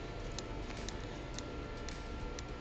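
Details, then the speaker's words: Samsung UN65JS9500F QLED TV won't turn on, back off, fuses good; power supply clicks sharply about twice a second over low hum, set not starting. Source suspected to be transformer; unconfirmed. "I'm actually hearing an audible click and I don't know if you can hear it I believe it is coming from that Transformer or possibly actually this relay over here"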